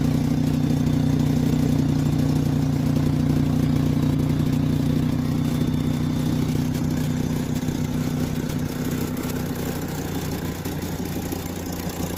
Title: Volkswagen rabbit exhaust leaks. #diy #Volkswagen